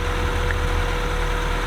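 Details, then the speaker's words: Acura Integra with swapped B20B engine, first start after fresh oil, transmission fluid, spark plugs, valve cover gasket and set ignition timing; steady, even low rumble at idle, smooth with no knocks, misses or hunting, source of a noise unknown: normal idle. "started right up but there's a noise that i'm not sure where it's coming from [Applause] so that's pretty good sounds pretty good"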